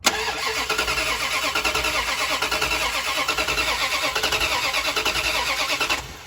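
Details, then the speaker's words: '67 Dodge Coronet "Hefty" with flat tappet cam, cold start right after oil change to fill the filter, oil very cold: catches and idles with quick light ticking; dry lifters clattering until oil gets around, then quiets. "She's cold. Hear those lifters? There you go. Took a second to get some oil going around."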